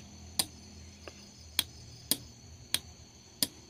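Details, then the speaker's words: Motorcycle starter relay bench-tested on 12V with a lamp: crisp, identical single clicks about every half second on a quiet background; relay switching normally. "Seperti itu, dengar kan kawan yang ketak-ketak. Pada saat kita menekan tombol atau saklar starter, yang bunyi ketok-ketok biasanya di dalam sepeda motor, yaitu ini kan kawan, relay starter."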